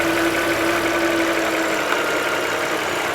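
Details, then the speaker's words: 2008 Volvo XC70 3.2 litre after the crankcase breather/cover repair that cured a tea-kettle whistle: steady, even idle with no rushing wind-tunnel air from the breather. Normal idle, problem fixed. "it's fixed problem solved before when i would pull this off it would just it sounded like a wind tunnel rushing into the"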